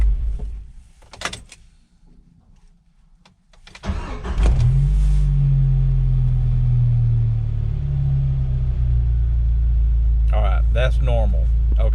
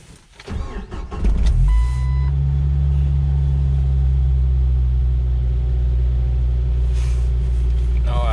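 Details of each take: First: 1997 Jeep Wrangler after restart: catches and settles to steady even idle; earlier rpm fluctuated and wouldn't drop below 1000 at stops, owner suspects failing throttle position sensor and plans replacement. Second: 1997 Jeep Wrangler after erasing throttle/pedal position sensor codes; catches after short crank into a steady elevated drone that won't drop below 1000 rpm, rpm fluctuating; throttle position sensor suspected failed.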